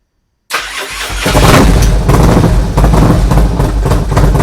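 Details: Harley FXR with a Twin Cam V-twin, already heat-cycled, started on a jump box because the battery is weak, to check a new oil gauge line for leaks. A brief crank, then it settles to a deep, lumpy but steady idle with no knocks; normal startup.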